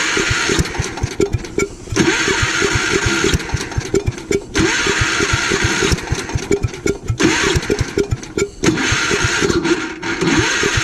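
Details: Gravely Commercial 12 34-inch snow blower, unstarted for about a month, on a cold night after carb cleaner was sprayed in: it sputters to life in short ragged bursts and dies repeatedly. Ice in the bowl is suspected.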